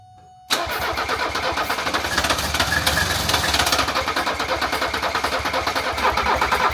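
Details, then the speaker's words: 1978 Mercedes 300CD with a swapped-in 1984 OM617 turbo diesel, updated turbo and injection pump: the starter churns steadily and runs hot, but the engine never fires. Owner wonders whether the pump isn't advanced enough or the fuel shutoff is holding fuel back. "That starter's running hot. Ready? Go good. I'm wondering if this pump isn't advanced enough, not pushing enough I'm fuel."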